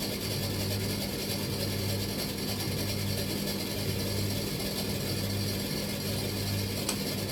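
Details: Bosch XL7 tumble dryer, drum turning but stone cold with no heat: steady hum with an uneven low knocking roughly once a second, a mechanical rattle from underneath; not a jockey wheel, cause not yet found.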